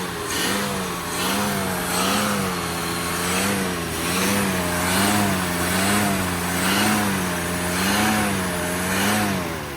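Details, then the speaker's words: 1965 Plymouth Barracuda slant six, parked since 1994, which won't idle on its own. Smooth rises and falls in revs about once a second with no knocks or ticks and little smoke: normal revving. "No noise whatsoever. That's not bad. That old motor sounds good, don't it?"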